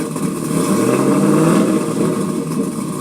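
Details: Ford Econoline van V6 after exhaust repair (broken flex section replaced with new pipe and hanger): runs and revs gently with a smooth, even exhaust note, no puffing or ticking.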